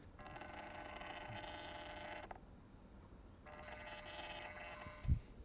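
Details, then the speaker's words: Reolink E1 Zoom 4K indoor Wi-Fi camera panning: a thin buzzing whir for about two seconds, a stop, then another two seconds, in a quiet room. Ordinary pan motor noise. "Yeah, there is some uh panning motor noise."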